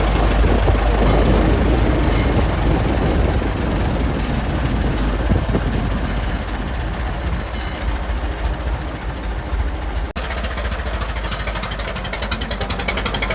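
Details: Restored 1921 American LaFrance fire engine (Licking County Fire Dept.), restoration finished, on a ride: deep, even rumble with a steady firing beat and no knocks or misses; old engine running healthy.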